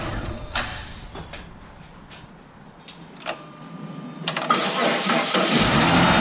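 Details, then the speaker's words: 2007 Chrysler 300 3.5 L V6, battery good and charging: slow, labored cranking under two turns a second before catching and revving, starter drags; failing starter, later replaced. "It's starting real slow, guys. It's charging. It's got a good battery in it."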